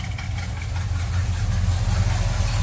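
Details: Chevrolet Monte Carlo idling steady and smooth after a cold start, following a fuel filter replacement and a stiffer throttle return spring; it sounds like its old self and better than before. Normal idle.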